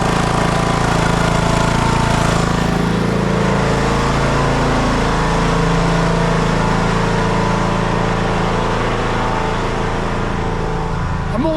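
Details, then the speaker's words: TroyBilt lawn tractor, single-cylinder, long sitting, started with choke after aftermarket solenoid fitted: steady even putter, no hunting; running normally without surge, carburetor cleaning not needed. "now I know I ain't got to clean that carburetor run good didn't surge"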